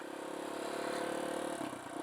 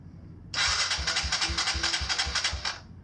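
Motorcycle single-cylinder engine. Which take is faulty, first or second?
first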